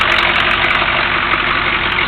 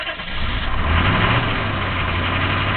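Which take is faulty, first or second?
second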